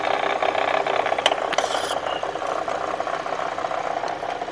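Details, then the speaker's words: Kia with a recently replaced recall engine, knocking again: microphone close to the water pump at idle picks up a continuous rough rattling whirr; the bearing that drives the water pump pulley is worn and noisy. "from what we see the water pump is making a lot more noise there's a bearing inside that drives the water pump pulley um they often go bad it's very common"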